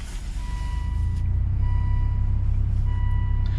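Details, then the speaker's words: 2003 Volvo XC90 just after differential module repair: clear chime repeating about every 1.5 seconds over a low idle, the intermittent anti-skid system service-required warning, which then clears. "so I just fired it up don't worry about the alarm service system service required that was an intermittent problem"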